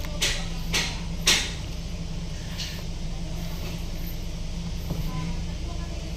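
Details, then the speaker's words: Hyundai Grand Starex at idle after replacing the steering pump assembly and pressure hose for noise and heavy steering, air bled by turning the wheel: even engine hum with light taps, no pump whine or groan; normal power steering operation. "ayan yan mga Sir good na siya Ah wala na rin ingay"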